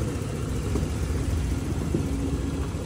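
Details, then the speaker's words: Honda Click 125 with a complaint of idle rising and falling, after the altitude setting was reset to mode 1: an even, steady low idle at about 1700 rpm, slightly high, with no hunting, stumbling or knocks. Normal idle. "Check natin yung kanyang parameters data Tama na yung Menor Ayan medyo mataas boss ng bahagya"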